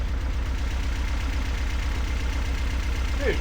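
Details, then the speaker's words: BMW E36 dragged out of a field, first run on its own fuel after a clogged fuel pump was freed (injectors suspected): idle stumbles with an uneven lumpy beat and occasional dropped firing; misfire, cause suspected, not confirmed. "Sweet. Well, it doesn't sound great, but it does run. I don't hear any [Applause] like terrible engine noise either. And it kind of sounds like it has a little bit of a misfire."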